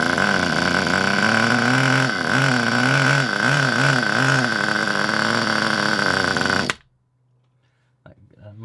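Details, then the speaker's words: Kyosho Pure Ten Alpha nitro RC car, cold with a weak glow plug: buzzes steadily, then sags and wavers when throttle opens, never revving; bogs, possibly very rich or full of oil, needle may need adjusting. "So, doesn't really do a lot when I open up the throttle, but it could be full of oil. It could be full of anything. It sounds like it's trying to rev, but it just can't make it."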